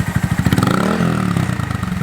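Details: Honda Monkey with a Yoshimura SA-18-K low-volume spark arrestor insert, warmed up, in the shop, revved progressively higher: even single-cylinder thumps pick up on a blip and settle back, exhaust muffled and mellow. Healthy and quieter than the prior insert.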